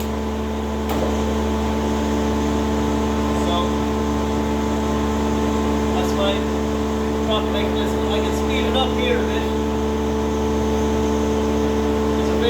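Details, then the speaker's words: Wadkin thicknesser with 10 hp main motor and 1 hp feed motor, test-run after rise-and-fall mechanism repair and calibration, feeding a piece through: steady smooth hum, constant low drone, no knocks or grinding; running sweetly, normal. "a variable speed on this machine so that's working very sweetly"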